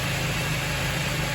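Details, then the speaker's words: 2014 Honda Civic Si (9th gen) engine idling right after the serpentine belt was replaced, heard near the crank pulley: smooth, even idle hum with no belt squeal or chirp, so the belt sits properly on all the pulleys; normal idle. "all you can hear is the motor. You don't hear any belt screeching sounds. That means that everything is sitting properly on all the pulleys."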